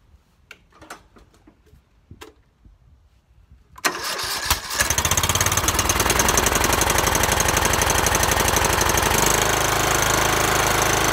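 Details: Troy-Bilt mower after replacing a starter that worked but failed under load: clicks, cranks briefly, fires and runs smoothly without misses or knocks.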